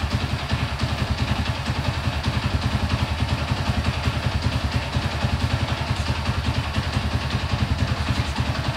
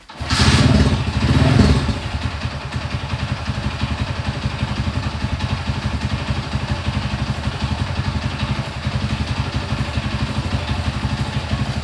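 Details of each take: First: Honda CB100 with a mixed-parts engine, just rebuilt with ignition timing set, first start: even, steady low thumping idle with no knocks or misses, somewhat stable though idle is low. Carburettor may need re-tuning. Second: Honda CB100 (mixed-parts build) just reassembled after ignition setting work: brief start-up rev then slow, uneven idle about four beats a second; idle set too low, carburettor may need re-tuning; low unstable idle.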